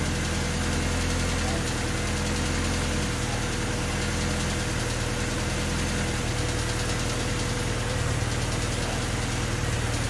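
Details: Honda D16Y8 engine on P28 ECU, idle after new spark plug wires and cleaned IACV reinstalled: idle steps up and down every few seconds, stuttering near stall; hunting rough idle unchanged by wires and IACV, cause not found.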